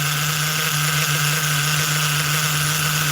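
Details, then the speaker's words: New Force .25 CNC nitro engine in an HPI RC car, first start break-in on its second heat cycle: steady even buzzing idle, slightly high idle speed, no stumbles or knocks; running smooth. "It's running pretty smooth, too. If you, you know, if you listen to it, listen to it for a minute. Idle's a little high, but that's okay."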